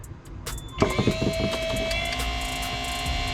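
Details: Peterbilt 379 HVAC blower motor tested with harness plugged in and key on, confirming the motor had been the problem; spins up to steady even whir, constant pitch, no grinding or ticking; normal blower motor operation.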